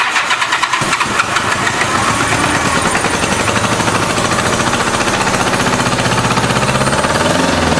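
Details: 1986 Honda Goldwing GL1200 SE-I fuel-injected, first start after electric fuel pump fitted: choppy, lopsided idle; pipe test shows two cold pipes, only running on two cylinders; stuck injector suspected, not confirmed.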